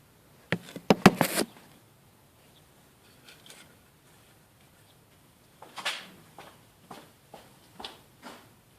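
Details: Skoda Octavia 1.6 55 kW, ignition on, engine not started: replacement used throttle body (030 133 064 F, replacing dead 064 D), not adapted via OBD, self-test: short whirs and clicks in quick series as plate sweeps; actuator working.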